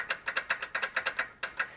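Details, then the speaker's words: BMW Z3 roadster rear brake caliper, inboard pad lifted and dropped by hand, same on left and right sides despite fairly new pads: sharp light metallic clicks from the loose pad, the source of the rear rattle over potholes and cracks. "it's pretty interesting to note that it does this on the left side and the right side both and it creates noise when you lift the pad or drop the pad"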